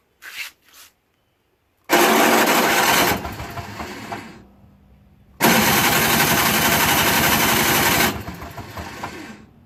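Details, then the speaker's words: Toro Snow Commander 38602 single-stage snowblower, electric start on an extension cord: two harsh raspy grinding bursts as the starter engages, engine never catches. Stripped gear on the electric start motor; the tank also held stale gas. "sounds like that teeth are going on that one too I have a feeling I'm gonna have to take this all apart because the starter sounds like it has issues and it won't start"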